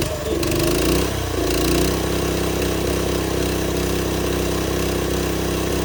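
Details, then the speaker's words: TrailMaster go-kart small single that sat over winter, run after suction-clearing the carb by blocking the air box intake: buzzes unevenly about one lump per second, never settling to idle; clogged carburetor jets. "So it's not one to idle, but that basically fixed our problem."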